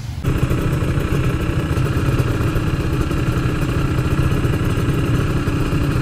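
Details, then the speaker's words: Yamaha RX King two-stroke motorcycle after repair, riding at high rpm: steady, busy high-rev buzz with no stutter; a reed membrane fault and a loose wire at the stator coil had been fixed and soldered. "guys udah enggak ada brebetnya lagi"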